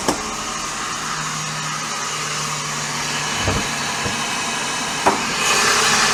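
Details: Daihatsu Sirion that has made horrible noises since bought: harsh whirring roar with a steady tone over the engine and a few sharp clacks; traced to worn alternator bearing and noisy water pump.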